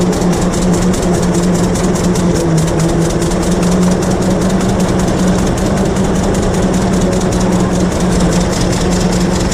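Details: 1926 Hart-Parr 16-30 tractor, first run in over a decade after six months of work; steady, even low chugging with crisp regular firing pulses and no misses or knocks, running healthy.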